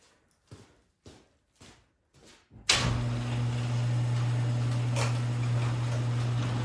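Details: Craftsman snowblower after a tune-up with fresh 5W30 oil: after a few knocks the engine settles into a steady, even hum with no misses or rattles. Normal running.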